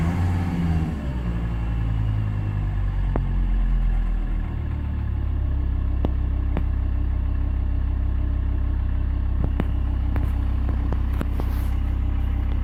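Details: 2000 Volvo V70 2.5 TDI 103 kW diesel dropping to about 1000 rpm: deep droning rumble with a few sharp irregular ticks; strange abnormal sound, cause not identified.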